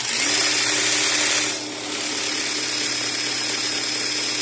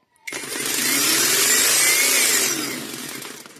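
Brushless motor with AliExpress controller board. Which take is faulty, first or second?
second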